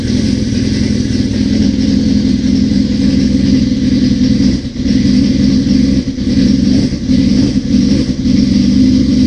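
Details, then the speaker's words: 1981 Suzuki GS650GL during rebuild, first start with fresh battery, plugs, oil, filter and pod filters: four-cylinder burble on choke holds a fast idle with brief sags but keeps firing; normal choke idle, small carb leak suspected. "Let's give this some choke. Let's start it. I've got battery, everything's fresh. I put pod filters on just to see. Oh! Oh man, we are running."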